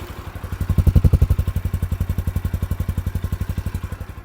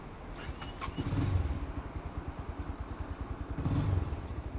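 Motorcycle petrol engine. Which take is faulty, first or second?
second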